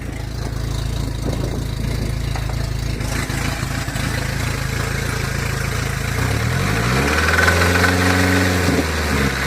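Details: 1981 Toyota Corolla TE72 with swapped Nissan KA24DE, high-compression SOHC pistons, open downpipe: deep regular knock about three times a second at idle, then a short rev blip; rod knock, blamed on an untrusted machinist.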